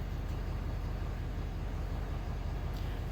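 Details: 2011 Ford F-350 6.7 diesel after oil and both fuel filter changes, fuel system primed by key cycling: steady low idle with an even, regular pulse, no misses, knocks or hunting; starts and idles normally.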